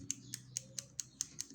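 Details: Redragon Kumara keyboard with blue switches, keycaps dampened with cotton and EVA pads: keys pressed about four times a second giving only a short crisp switch click, no hollow plastic clack; quieter.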